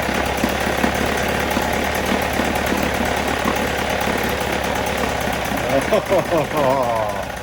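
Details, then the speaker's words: 1977 Johnson 9.9 electric-start two-stroke outboard, unrun for about 10 years, carb cleaned, fuel bulb primed, on choke in water: rapid buzzy putter running steady with some surging; it starts and keeps running. "Uh, sounds like this has not been started in maybe 10 years. We're going to turn on the choke. We'll see if this is the first start in 10 years. Well, that's a good sign."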